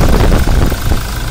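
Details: Toyota Innova Crysta diesel that cranked but would not start, after all four injector nozzles were replaced: a steady, low diesel clatter at idle with an even beat and no misfire or stumble. Runs smoothly; repair fixed the no-start.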